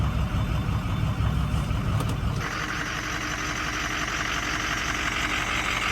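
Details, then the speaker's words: 6.0 Powerstroke diesel after dying on the way home: heavy clatter with an uneven, choppy idle; owner suspects fuel gelling, not confirmed. "I don't know if it's jelling up you can hear how choppy it"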